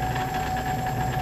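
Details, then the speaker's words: Craftsman 618 lathe with new electronic lead screw (stepper motor on 13-to-39-tooth belt, 1:3, encoder), running at 1400 RPM with lead screw turning: steady even hum with constant high drive whine, no knocks or rattles; normal running. "so it's running now and it's running at 1400 RPM and the main screw is now turning nice along with it"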